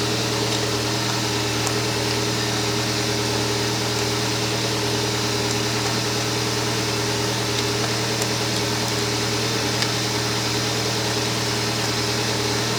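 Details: Kia Spectra at steady idle: a constant electrical hum with no change in pitch sits over the engine; the alternator is suspected to be failing.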